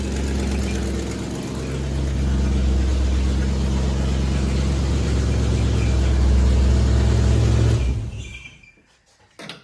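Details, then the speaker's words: Chevy Blazer V8 after exhaust repair, idle turned up: loud running with a sharp, regular puffing tick about four per second over the rumble; exhaust manifold still leaking on this side. "seems to be running. It's pretty loud. A bit louder than I thought it would be. We seem to have a a leak on the on this side also. Unfortunately."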